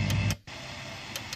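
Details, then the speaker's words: Cheap BT-309A Chinese power amplifier in radio mode with speakers connected: hissy, crackling output over a low steady buzz with no clean station. Distorted noise that the owner suspects comes from the transformer; indoors it receives nothing. "distorted that noise there you can hear quite a bit of that on the radio which i suppose maybe because of the transformer in there"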